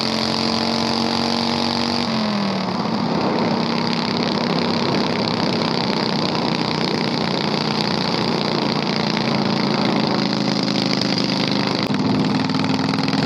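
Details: 670cc Predator V-twin go-kart, revived after sitting months with carburetor problems, driven in testing: harsh, very loud raw exhaust bark rising and settling with throttle, no muffling; running without a muffler.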